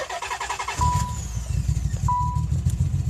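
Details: 1992 Nissan 300ZX NA V6, just acquired in a trade, cranks briefly and then idles with an uneven, stumbling beat and dropped pulses. A horrible misfire at idle, cause unknown.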